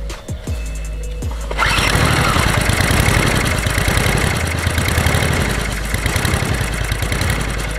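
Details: Honda HR17 lawn mower that had starting problems on recommissioning, fuel supply checked after repair; after a few pulls it catches and runs steadily with an even buzzy beat under background music; running normally.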